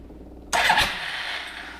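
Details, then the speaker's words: Suzuki King Quad that wouldn't start in the snow: the fuel pump runs, then the starter cranks the engine over fine on the button. A suspected relay/coil part (40 A, 12 V, four-post) is blamed. "starter works so yep this little thing is a problem"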